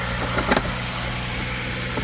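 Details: 2010 Ford Edge 3.5 L V6 after starter motor replacement, idling while antifreeze is topped up: steady mid-pitched even idle, only a brief handling clink; normal.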